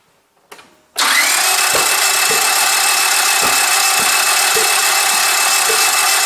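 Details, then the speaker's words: Gasoline car that cranks but won't start, heard after a spark test found plugs, cables and ignition coils OK. Starter whirs with even compression pulses about twice a second, never catching. Cause still unknown. "Okay, and then this final result tells to me that my sparking system is okay and there is no any issues, and then why my car don't and not starts, there is still something defect in this my engine"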